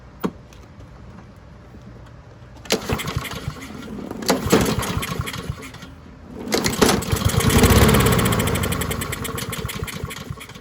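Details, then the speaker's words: Husqvarna push mower pulled from the trash, running old gas, hot-start fluid in intake; two bursts of pull-start cranking chuffing about four per second, never catching; owner suspects old gas or weak spark. "yeah it does not want to light off that uh probably that old gas is not helping because it definitely doesn't want to light off on there"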